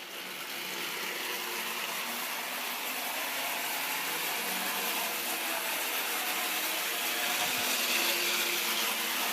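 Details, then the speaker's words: Restored American Flyer standard gauge tinplate electric locomotive on test run after reassembly: even high-pitched motor whir with steady wheel clatter, no catching or grinding; runs perfect and coasts well. "it runs perfect. Man, does that thing coast."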